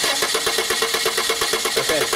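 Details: Steady starter cranking at about eight beats a second that never catches. Crank-no-start with no spark; a test light on the coil negative control wire checks for coil control.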